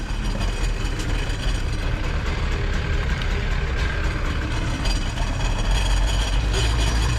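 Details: Jet boat two-stroke with freshly rebuilt carbs, on a water hose, about to be put in forward: loud steady drone with water rush, no misses or surging; running cleanly.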